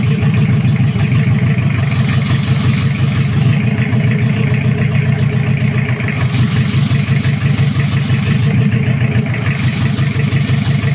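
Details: Toyota Kijang 2L diesel, cold, just after first start following an engine rebuild for oil burning, injection pump timing at the zero/standard mark: steady idle clatter with an even low rumble and no extra knocks. Normal idle; oil pressure reported normal.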